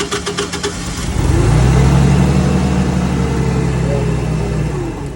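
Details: Caterpillar forklift with a no-start problem traced to broken fuses: engine catches and revs up, then settles to a steady, even drone with no stumbling or knocks; running normally.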